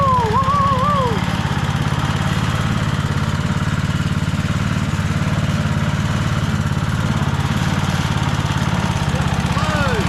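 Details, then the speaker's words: Rover Ranger ride-on mower running in neutral after no-spark repair (points cleaned and gapped to 20 thou, coil gap set, flywheel cleaned, carby serviced): steady, even thumping about three and a half per second, no misses or hunting; runs like a beauty. "so there we have it a long last part four is finished we've got the mower started it runs like a beauty"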